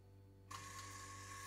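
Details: Evinrude E-TEC 60 hp outboard after its EMM (ECU) was refitted: quiet, then a sudden steady buzz with a thin tone holds evenly; the fuel pump is running normally.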